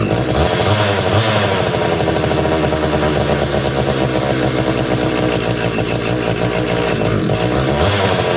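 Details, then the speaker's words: Homelite Super 240 Classic chainsaw, unused over 20 years, just unflooded after choke off; raspy uneven buzz surging and sagging, struggling to hold idle and making a lot of smoke, though getting fuel, spark and air. "so definitely struggling to to idle a little bit but uh I mean that's pretty positive boy that made a lot of smoke too didn't it"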